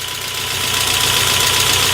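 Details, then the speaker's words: 1992 Saab 900 Turbo, long-sitting, first start, no oil pressure gauge: light, fast metallic clatter over a steady idle with a high hiss on top; valvetrain rattle at idle, cause not yet known. "let's go see what we got out there all right a little bit of clatter and keep an eye on that"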